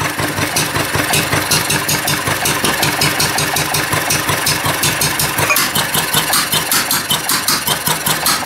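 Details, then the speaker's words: Old Wolseley single-cylinder engine, just reassembled, no cooling water, head getting hot: thumping about 160 beats a minute, fairly regular but slightly uneven; runs on its own, owner hears a possible knock. "There we go. Well, that's good. She's running, boys."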